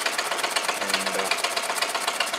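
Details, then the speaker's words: Homemade solenoid motor built from weed whacker crank and case, gudgeon pin screw left loose so piston scores barrel side: rapid regular knocking about eight per second with dry scraping; piston knock from scored cylinder. "I forgot to do up the GS and pin screw but um anyway too late now it's G the side of the barrel as you can hear"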